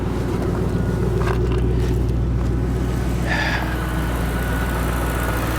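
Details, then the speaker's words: Roush 427R Mustang V8 with factory exhaust manifolds, check-engine light on (cause unknown), alternator charging 14.2 volts: deep, steady idle burble with an even low rumble and no knocks or misses. Runs absolutely perfect. "thing's a beast for sure listen to that thing per absolutely perfect"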